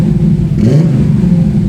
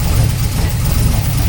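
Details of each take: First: TVR 290S on MS2 (Megasquirt) engine management with TFI black CCD ignition module and wrapped manifolds, after months of trying: deep steady idle with clean throttle blips rising and falling smoothly, no misfire or stumble; normal idle and free revving, more tuning still needed. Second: TVR 290 S first start on MS2 with Ford TFI black CCD module, distributor-triggered ignition, manifolds wrapped: deep idle with uneven, lumpy beat and dropped pulses; misfiring, apparently running on three cylinders.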